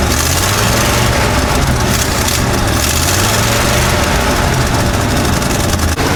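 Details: 1955 Chevy dump-bed truck, sat 23 years, V8 running off a funnel fuel setup while old dirty fuel is pumped out: steady, even low burble, no misses, knocks or hunting, pressure looks great; normal idle.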